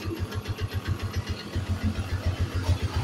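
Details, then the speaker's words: Yamaha Jupiter MX motorcycle, engine untouched with body and covers still on, owner complains of exhaust smoke and fast oil use; low rough thumping at idle about 3–4 per second, uncertain if clutch or engine; piston slap from worn piston and scored bore. "Oke kita coba hidupkan kita perhatikan ya nanti di sini memang ada sedikit ada suara ya di sini untuk di bagian mesin entah itu baru dari kopling atau dari mesin ya saya coba"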